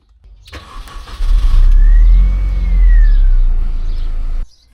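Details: Mini Cooper S R53 started after new fuel filter fitted during major maintenance: catches promptly after a short crank, smooth steady idle without stumble; normal start.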